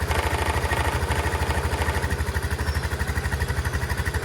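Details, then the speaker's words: Chinese 150cc TNG Verona scooter, started after cranking to fill the float bowl and testing whether it needs a carb clean; the ignition switch had been removed. A steady, even single-cylinder putter at about three beats a second with no misses or knocks; healthy idle. "Whatever it is, it sounds great."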